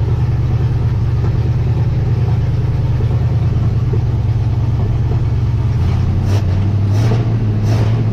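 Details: 1958 Dodge Coronet Lancer V8, sat in a barn about 30 years, cold weather, oil smoking on the exhaust manifolds: low, uneven lumpy idle with an irregular beat, then a rev; misfire, owner convinced it isn't running on all eight cylinders.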